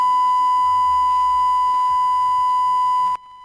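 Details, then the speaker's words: DBX 286s channel strip, faulty input stage/preamp: a steady high test tone holds about three seconds, then cuts out abruptly to near silence; intermittent signal dropout. "so four times here and here suddenly it opens or suddenly it works again let's say that way"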